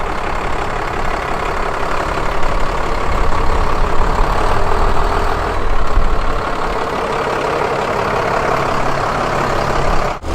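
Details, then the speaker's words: 1998 school bus with a newly installed Cummins-built replacement diesel engine: a steady low rumble with an even clatter and no misses or knocks; normal idle. A transmission service light is on. "there she is motors on she's running"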